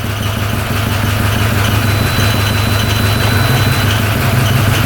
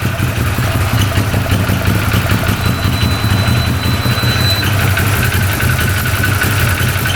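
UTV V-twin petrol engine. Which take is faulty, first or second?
first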